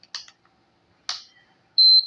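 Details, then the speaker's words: Induction cooktop board under repair, 285 V measured, powered on before the IGBT is fitted: a few clicks, then a short, high beep near 4 kHz at power-up, showing the supply and control circuit are working. "ये आवाज़ जो आपको मिला इसका मतलब ये सही जगह पर जा चुका है।"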